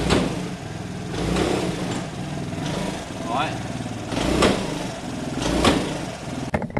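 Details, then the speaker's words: Piaggio Fly 125 scooter front end being worked: irregular dull clunks about every second; owner suspects front fork problem, perhaps no oil in the forks, and tests again with the caliper removed. Cause unconfirmed. "the issue's still there let's see if we can hear it and see it maybe it's a clunking"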